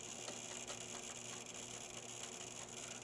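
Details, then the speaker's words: Dusty gaming PC with single water cooler at power-on: constant high hiss, thin whistle and faint irregular ticking; CPU climbs 43 to 49°C, cooling issue; struggling pump or fan suspected, not confirmed; replaced with air cooling. "yeah i definitely have an issue with the cooling on this"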